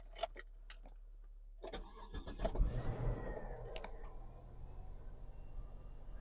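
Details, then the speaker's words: Cadillac limo that sat 8 years in a forest, after a MAF sensor wiring repair, other sensor work and a vacuum line fix. Keys rattle, a brief crank catches, then a low steady idle with no misses or knocks. Starts and idles much better. "now this this thing runs great idle so much better"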